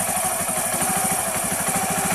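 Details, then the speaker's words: Motorcycle after conversion to battery-operated 4-pin CDI ignition idles with a steady even exhaust putter about eight beats a second, no misses or tapping; normal idle. "Ayan na mga kaibigan, ganda ng andar."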